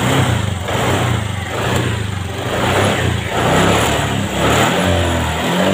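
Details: Honda Vario 125 FI scooter after a manual ECU reset (mode 1 setting, DLC jumper removed): engine revs up and down cleanly with steady response, no hesitation or misfire; running properly, reset successful.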